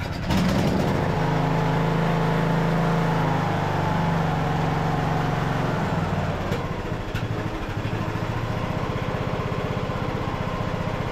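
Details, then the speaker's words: Craftsman LT2000 riding mower, almost 20 years old, first start on a new carburetor with choke on and a temporary, incorrect air filter. It fires right up into a steady single-cylinder putter, easing after choke. An earlier low-rpm pop was blamed on the missing filter; runs great. "I just temporarily put this up filter in place it's not the correct one but it had a little bit of a pop at the low RPM it's because it didn't have a filter on it can hear it now it's running running great"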